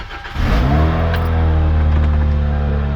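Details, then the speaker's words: Toyota Celica after fixing no-crank no-start with a new starter, new starter relay and replaced blown fuse: quick crank catches within half a second, revs cleanly and settles into a smooth steady idle; starts normally. "so with a new starter regular new fuse and a new starter now the car starts"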